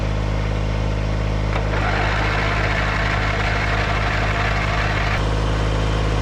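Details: Backup riding mower that sat unused (dead battery), jump-started with starting fluid and fresh gas; steady low, even engine drone at constant speed with a brief rise in hiss midway; small engine idling normally.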